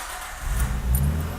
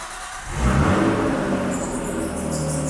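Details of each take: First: Petrol car idling with low, soft muffled exhaust rumble, now barely audible after bolting a pipe into an otherwise full straight-pipe DIY switchable loud/quiet exhaust; would get louder if revved. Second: Full straight-pipe exhaust on a slow cold start while coolant was just added: engine fires, flares, then settles into a deep, raw unmuffled idle, possibly with some belt squeal.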